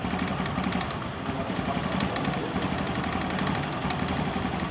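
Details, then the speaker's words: 2018 Honda Biz 110i/125 single-cylinder idling: faint, irregular light ticking that disappears at high revs and is not valve noise. "É o barulhozinho meio chato. É um tectequezinho incomodativo, não é válvula."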